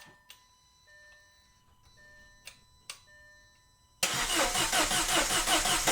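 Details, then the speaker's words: Audi engine after head and cam work, with the fuel pump fuse pulled: faint clicks, then it fires abruptly and settles into a steady, even run with no stumble; a clean start. "It started. It started. Yes. Let's go. Obviously, it started and I had the fuel pump fuse pulled and it started anyways, which is kind of a good sign."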